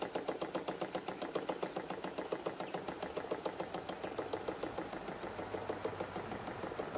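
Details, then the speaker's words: Simple spirit-fired gamma Stirling engine on its first afternoon, about 20 minutes of total running since it was built, running down on its own. Soft, even knock about 3.5 per second with a light tick, which is compression, not metal contact; normal running. "that knocking you can hear now is is compression it's not metal metallic things coming banging on to each other"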